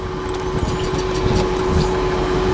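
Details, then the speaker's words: Vehicle running after spark plugs and failed number eight ignition coil replaced: steady even idle, constant low hum, no knocks or misses; sounds healthy, though ABS wheel speed sensor fault remains. "anyway it runs it sounds good in the wonderful oh boy"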